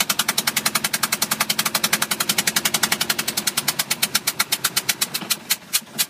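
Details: 2005 Bayliner 175 boat engine at idle: sharp, loud knocks about two to three per second, slowing slightly near the end; cause unclear.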